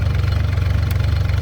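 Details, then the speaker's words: Yanmar D27 27 hp diesel outboard on a jon boat, first cold start: steady, even low-pitched chugging idle like a tractor, no misses; it kept dieseling when shut off. Normal idle. "it just sounds like a tractor it rolls cold that is insane it Idols oh"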